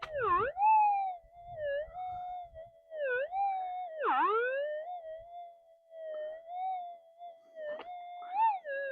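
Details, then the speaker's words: Modified, boosted Minelab metal detector at test site, gain completely flat out, trying a different sweep speed, 50-cent pieces not detectable: warbling whistle-like tone dipping in sudden zap, zap, zap bursts; zapping noise, possibly outside interference. "It sort of goes a little bit, but you couldn't detect No. 50-cent pieces. There we go, see? That zap, zap, zap."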